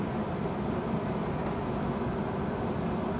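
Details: Dehumidifier after a DIY repair, running about 20 minutes at most: quiet, steady airy hum over an even low drone, no rattles or buzz; running normally, with water coming out of the hose outlet.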